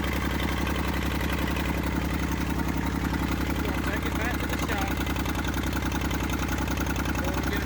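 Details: Massey Ferguson 35 diesel tractor, revived after 20+ years seized in woods, tow-started in third high after starter failed: fairly quick steady chug at settled idle, even firing with deep low clatter; normal running.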